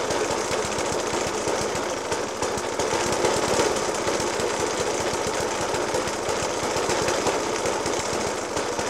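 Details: Suffolk Punch 30S single-cylinder (1991 era) with Dellorto FCH 20 carb: rapid uneven hammering beat with irregular heavy bangs at idle, after spark plug change, decoke and carb clean; cause not pinned down.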